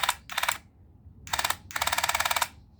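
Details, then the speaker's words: Dental Mate water flosser, previously damaged by 220 V on its charging plug, clatters in rapid bursts only while the button is held; the pump knocks, internal cause not yet found. "if you press this button you can hear the knock you can hear this knock of this machine"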